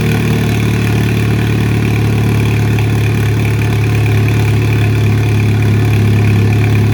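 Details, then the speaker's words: 2004 Chevy Cavalier, 2.2 L Ecotec I4 with 57 mm turbo, cold start in an enclosed shop on 2-year-old fuel, no intake or exhaust sensors fitted, exhaust half-installed. Loud but steady, even idle with no misses or knocks, turbo audible: normal cold idle. "Warming up 4-year-old gas. It sounds really good. Hear the turbo? Yeah. But yeah, starts up. Sounds cool. It's loud, but it's not too loud."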